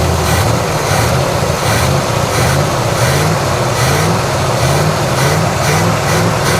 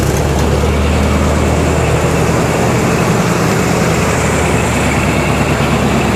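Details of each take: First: 1987 Chevrolet Monte Carlo SS V8 after sitting 20 years, idling before warm-up, microphone under the car: rhythmic puffing tick in step with the engine, no valvetrain ticking; exhaust leak. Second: 1987 Chevrolet Monte Carlo SS V8, first start after sitting 20 years, orange rust smoke: loud steady rumbling idle holding even without stumbling or knocking; compression on both banks, engine sounds good.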